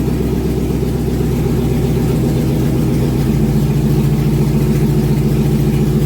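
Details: 2001 GMC Sierra 1500 HD after injectors removed and cleaned a third time, fuel primed and started: steady deep idle with even unbroken beat, no stumbles; check-engine light not flashing, so no misfire.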